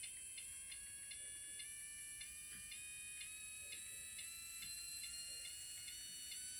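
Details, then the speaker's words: Mini-Z 4x4 upgrade PN Racing SCX24 90-turn motor after swapping ceramic for neodymium magnets, on a bench power supply at about 2.1–3.2 volts: thin, steady high-pitched whir with faint regular brush ticking; spins freely and healthy. "let's do 1.8 volts oh it's spinning we need a little more voltage there we go that's 2.1 volts 3.2 volts"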